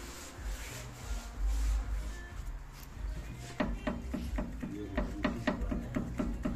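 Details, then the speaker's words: Front suspension rocked by hand gives rapid, regular clicking knocks, about four a second; suspected worn Z-link (stabilizer link) to be replaced, cause not confirmed, sway bar bushings also to be checked. "ses duyuluyor sanırım bu Z rot bozulmuş Z rot değişecek"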